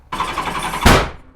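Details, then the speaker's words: 1986 Honda Goldwing GL1200 with freshly cleaned carburetors, cranking without starting, then one sharp loud backfire. The front cylinder has spark and caused the backfire; the rear cylinders have no spark. "well the front cylinder has spark and that's what made that loud backfire the rear cylinder does not have spark"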